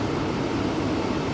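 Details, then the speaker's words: Vehicle at a Copart salvage auction, cab interior during a walk-around: even, steady rush of AC blower air with no squeal, rattle or clicking. The AC blows ice cold and is operating normally; brakes and steering feel good and the vehicle shifts into gear fine. "like i said ac is ice cold the brakes brakes feel good steering feels good"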